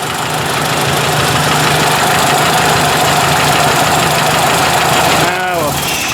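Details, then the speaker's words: Ford 800 tractor idling after points clean-up and adjustment, about 5°C: quick puffing tick about four times a second from a small exhaust leak; some bluish smoke also seen puffing from the vent. "i don't see anything there but there's a bit of exhaust leak there that's not too bad i don't mind that"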